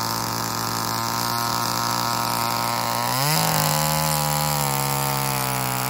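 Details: Old Homelite chainsaw, owner guesses 1960s or 1970s, revived after reassembly, choke off; steady buzz jumps sharply in pitch as the throttle opens, then holds a strong even scream; runs normally, though the owner says tuning could improve.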